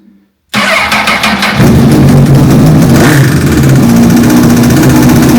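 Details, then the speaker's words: 2007 Honda CBR1000RR Fireblade with undiagnosed engine noise, after fitting a cam chain tensioner, started on jump pack: short crank, fast idle with busy mechanical rattle; tensioner didn't fix it, owner thinks it needs a new cam chain. "Okay. Not quite what I wanted to hear. I was hoping the tensioner would do it and do it for good, but unfortunately I think it does need a new cam chain."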